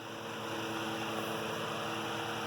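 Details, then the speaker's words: Antique Emerson 19646 12-inch fan, circa 1918, with replacement straight blades: steady, even hum of constant pitch, no ticking, rubbing or wobble; really smooth, healthy running. "just a really smooth running fan."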